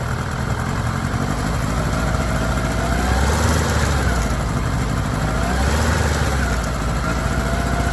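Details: Kawasaki ZR-7S air-cooled four-cylinder at idle: uneven mechanical rattle swells and fades over the idle; chain noise, cause not yet found.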